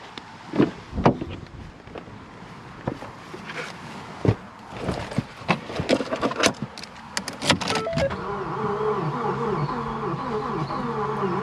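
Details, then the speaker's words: 2014 Ford Focus 2.0 automatic, 106,000 miles, auction car with unknown damage, crank no start on new battery: starter spins with uneven lopsided beat, no firing; compression test points to cylinder two, though engine also cranks slowly. "still turns sort of weird like [Music] sounds like there's no compression for real [Applause] [Music] okay so i ran the test three times and so cylinder two seems to be the one that's bad"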